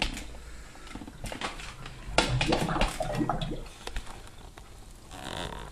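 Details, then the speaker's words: Kitchen sink drain, no clog present: irregular hollow glugs and bubbling for about 3–5 minutes after water drains, from suction in the house drain pipe; poor venting, fixed by fitting a vent tube. "Tal como estáis oyendo, este sonido un tanto desagradable, un tanto molesto, se produce después de tirar agua en el fregadero y suele tardar pues unos 3 5 minutos."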